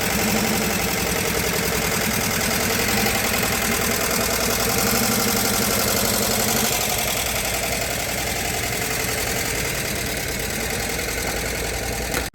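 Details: VW T2 Bay Window campervan, air-cooled carbureted flat-four, after engine refit and gearbox bellhousing replacement: even, steady idle patter with no knocks or misses; healthy and ready for the road.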